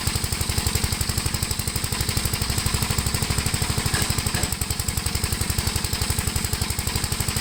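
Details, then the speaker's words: 1973 Gravely C8 single-cylinder, after carb adjustment and magneto points cleaning, mowing in high gear with mower deck: steady laboured thumping about four beats a second, bogging; overheating, owner suspects governor; failed mowing test. "this tractor is not a complete failure at least we got it to start up but it definitely failed the mowing test"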